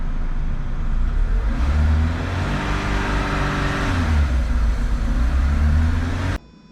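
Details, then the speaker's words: Renault Clio 182 Cup, extended rough uneven cranking with cleaner poured into the intake during an upper cylinder head clean, which is why it wouldn't start; battery should be strong. "Now what you saw me do then is while Mark was cranking again, I'm just pouring the stuff down there. That's why it wouldn't start."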